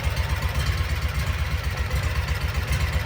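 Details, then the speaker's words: 2012 Kawasaki Mule 4010 EFI liquid-cooled V-twin idling lumpy, about four beats a second with a hollow missing beat; one cylinder dead, confirmed by water spray evaporating immediately on it; caused by a broken spark plug, fixed by replacement. "It's trying. It's definitely got a dead miss."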